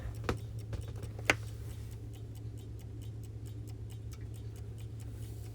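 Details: Vintage Coca-Cola electric rewind clock, reassembled after repair: even tick about once a second over a soft low mains hum, no grinding or buzzing, running cleanly while awaiting automatic rewind.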